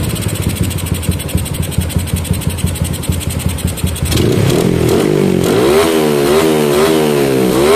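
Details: Yamaha Jupiter MX single with a PE28 carburetor, after carb setting for hard starting: an uneven putter at idle, then clean, quick revs that rise and fall freely without stumbling; normal idle and revving.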